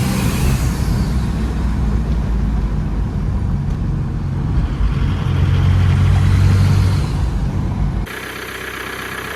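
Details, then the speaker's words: Diesel after blown head gasket repair (head removed and reinstalled) following 2000 miles of knocking, pulling hard on a long drive: steady drone with no knock, some blow-by, zero cooling-system pressure. "she's got some blow by, but she's not knocking anymore."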